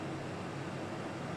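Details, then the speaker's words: Old Carlton air conditioner: compressor kicks in with a steady even hum under the fan rush, no knocking or rattling, and cold air comes out; normal compressor operation. "Yay, did you hear that? Compressor just kicked in."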